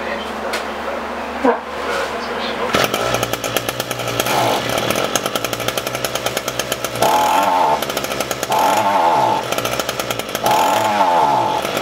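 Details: Echo SRM-225 string trimmer after carburetor diaphragm replacement: small two-stroke buzzes unevenly, firing stumbling and surging with no steady rhythm; still running poorly, so the carburetor needs deeper work.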